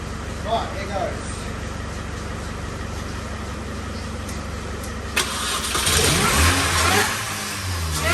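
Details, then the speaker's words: 2005 Mini Cooper S R52 supercharged convertible, bought as a salvage car with a reported noisy engine, jump-started: catches after a few seconds, fires cleanly, blips up and settles without knocks. Water is in the system, so it only ran briefly. Normal start and rev. "excellent also can't run it very long he's got a water in the system but it starts"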